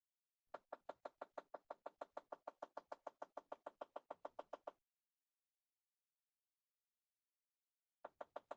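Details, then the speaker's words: 2010 Chevy Impala, driver-side temperature blend door actuator stuck (code B048, temperature control circuit): quick even clicking behind the dash, about six per second in bursts; the actuator doesn't move and gets replaced. "You have the B048, the temperature control one circuit actuator stuck. Obviously, you can hear the clicking. It's not moving."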